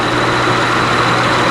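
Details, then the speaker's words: 2004 Honda Accord V6 LX, engine running with AC on: a steady whirring rush and low droning hum, weak and labored. One radiator/AC cooling fan is not spinning properly and is failing; both fans are being replaced with Dorman units. "But, um one of the fan was not spinning properly. The car is running currently and the AC is on."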